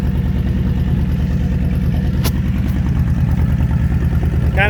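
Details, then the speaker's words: Honda Fury V-twin motorcycle with 727 miles, sat 7 years on a farm: low loping idle, beats uneven in strength and spacing, not settling; idle not consistent, cause unknown. "Kind of sounds like the idle is not consistent."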